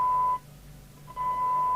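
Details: Harvard 420M CB27/81 UK FM CB radio after squelch repair (missing resistor replaced): steady high test tone drops out under a second then returns cleanly; squelch opens near 0.7 µV and closes at 0.62 µV properly.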